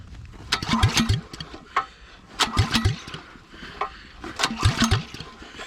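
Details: Honda GX270 9HP engine swapped into an old Suzuki LT185 frame, open pipe, switch and choke on: pull-start bursts about every two seconds with compression chuffs, never fires; cranks but no start, cause unconfirmed.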